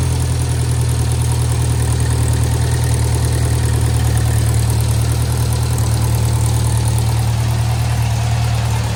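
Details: 1956 French-built Massey Harris Pony 812 tractor, Simca 9 gasoline engine, after fuel pump rebuild: deep, steady low thump at idle with even beat, no knocks or misses; good oil pressure, charging, running healthy.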